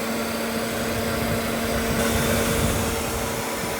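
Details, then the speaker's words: Radiator cooling fan wired directly to the battery as a roadside bypass; only one fan running, loud steady rush of air with constant pitch, no rattle or wobble. "It's not running. The fan is running. It almost looks like they're both running. No, they're not. Just that one."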